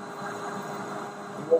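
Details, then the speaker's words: Drilling deep into a 2 1/4-inch-deep hole, chips deliberately left in: rough steady roar as chips pack in the flutes and rub against the sides of the hole; cleared by pulling out the drill. "Now, you'll learn about chips popping up in the flutes because you'll hear a roaring sound."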